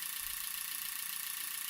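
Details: EZ EFI 2.0 fuel injection bench-tested without starting, after a no-start with FAST distributor: an RPM signal generator fires injectors at about 400 rpm (29 Hz) through the MSD, giving fast, even ticking about thirty a second over a hiss; normal injector operation.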